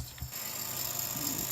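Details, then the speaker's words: Old 1GHz AMD Athlon K7 PC: steady fan whir with a faint uneven scraping tick, caused by the backplane cable caught in the fan; rerouting the cable fixed it. "about this noise oh just the back plan cable was inside of itself there we go all fixed"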